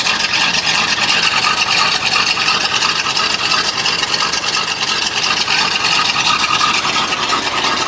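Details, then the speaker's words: Dump truck V8 converted from TBI to carburetor, new plugs and wires, oil pressure about 50 psi, warming up: steady even idle with regular pulse, no knocks or misfires; normal idle. "got new plugs new wires sounds pretty good it sounds like it's gaming a little bit actually"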